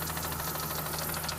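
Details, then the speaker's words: 1999 BMW 528i (M52TU) at idle after lifters and VANOS unit replaced with no change: fast steady ticking about ten to twelve a second; too fast for rod knock, cause unconfirmed. "when you rev it up it sounds like something in gear uh it clicks for about every two Evolutions"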